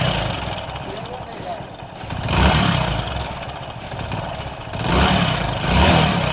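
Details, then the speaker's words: Hero Passion Pro motorcycle at idle, about 500 km after engine work: harsh, dry chattering rattle over the engine note, swelling with revs, from a loose timing chain; magnet cover to be opened. "देख ले कि engine से किस तरह timing chain का sound आ रहा है।"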